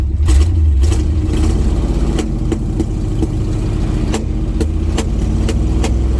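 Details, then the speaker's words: 1980 GMC C35 truck, off road since 2007, during test drive: rough engine drone broken by sharp irregular pops, about ten in six seconds; misfiring, possibly from incorrect ignition timing. "that popping and carrying on i don't know exactly what that is uh let me make sure the spark plug wires are where they're supposed to be"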